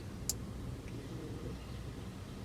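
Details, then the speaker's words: Rover 416 GTi driver's window circuit, still acting up after resoldering and with window switches unplugged. Two sharp isolated clicks about two seconds apart, randomly clicking on and off; owner suspects a resistor or regulator fault. "doing it again it's doing it again it's randomly clicking on and off look"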